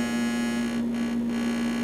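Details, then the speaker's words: AES Six Pac tube audio amplifier on the bench, heard through an isolated-tip probe pointed at the rectifier diodes: steady pure low 120-cycle hum, normal for a full-wave diode bridge that doubles the mains frequency. "Now, the reason that there's 120 cycle hum in this chassis is because we have diodes and a full wave bridge, which is effectively putting all the bumps on the top of the line. So in a sense, we actually have a frequency doubler happening there."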